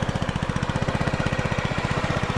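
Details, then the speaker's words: 2007 Honda Metropolitan 50cc scooter after carburetor cleaning and brake switch adjustment, needing jump start: quick even single-cylinder thumps, no stumbling; no longer bogging at wide open throttle as before the fix; runs pretty good. "all right other than uh needing to jump start it she ran pretty good didn't uh when I went to wide open throttle it wasn't bogging like it was before I fixed the brake"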